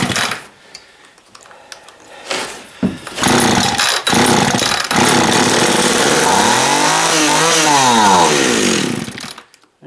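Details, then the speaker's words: Long-stored two-stroke chainsaw after dribbling fuel into the carb: after some knocking about, buzzes about six seconds, wavers in pitch, then dies; gummed-up carburetor from sitting, rebuild planned. "she's got some mung in the carb i kind of expected that i'm sitting for so long"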